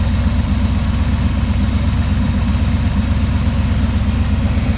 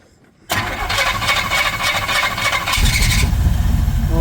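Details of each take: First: 1979 Trans Am V8 idling right after firing up during a tune-up, possibly on old gas: steady, even low rumble with regular firing pulses, no knocks or misses; runs smoothly. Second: 1979 Pontiac Trans Am after tune-up and correcting miswired ignition wires, running on old bad gas with poor ignition components, possibly flooded earlier: silence, then it catches sharply and runs, roar filling out; engine starts and keeps running.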